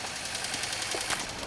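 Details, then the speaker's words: 2003 Pontiac Grand Am GT coupe project car that still drives: quick, light, sharp ticking over the running engine, judged upper-end noise rather than rod knock; cause suspected, not confirmed. "so you guys want to hear how bad this sounds? Here we go. That definitely sounds like upper end noise."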